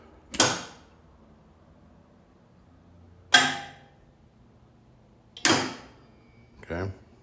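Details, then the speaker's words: T58 turbine engine start stand, 24 V: both solenoids clunk on engagement, one solenoid drops off after 3 seconds, the main solenoid releases when the switch is let go, then a soft reset; normal start sequence. "so you'll hear them both clunk when I flip the switch and then in 3 seconds you'll hear the mark n solenoid drop off and then when I let go of the switch you'll hear the other ones showed"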